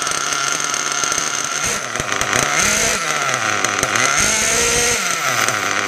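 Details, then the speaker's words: Mugen MBX6R nitro buggy on first startup after maintenance: a buzzy high-pitched engine whose idle sags and recovers. RPM drops when the brakes are applied because of a misadjusted throttle/brake linkage, which was then tweaked to fix the idle. "you could hear the was going the idle and that was just just cuz when I was applying brakes the RPM was dropping so I just need to tweak it a little bit"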